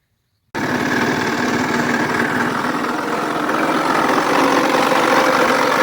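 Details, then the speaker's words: Four-stroke 80cc scooter engine catches and settles into fast idle: dry rough rustle under firing beat, increasing with rpm; mechanic suspects one or both crankshaft main bearings failed, unconfirmed. "Итак, судя по этому звуку, я бы сказал, что это, скорее всего, звук из главных подшипников. Либо этот, либо тот, а может быть, и оба потерпели неудачу. Как распознать этот звук ? Звук резкий, шорох. Она увеличивается с ростом оборотов двигателя."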